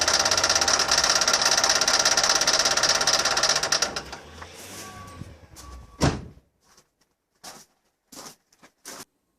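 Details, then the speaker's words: Land Rover Defender 200Tdi diesel running with worn power steering pump: harsh, fast, even clatter of about 200 beats a minute over the engine, sounding like a paint rattle can; pump replaced. "Now that horrible noise that you could hear coming from my engine was actually the power steering pump, which has gone on the Land Rover."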